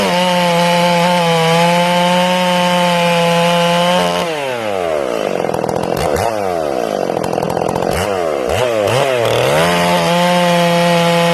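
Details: Ported Stihl MS461 in break-in with a slightly rich setting and an RPM-limited coil: the saw hits the wood and is eased up to listen for instant four-stroking. The high steady wail drops and burbles unevenly each time the bar bites.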